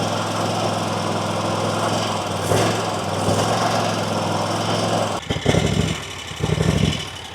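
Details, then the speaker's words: Kawasaki-powered RedMax zero-turn mower after intake gasket replacement: idle runs steady then surges with popping backfires, runs fine on choke; carburetor suspected out of tune. "So you see how it's surging now and kind of backfiring. If I pull this, if I give it the choke, it idles up and runs fine. Nothing else happens. So I'm wondering if that carburetor needs to be tuned."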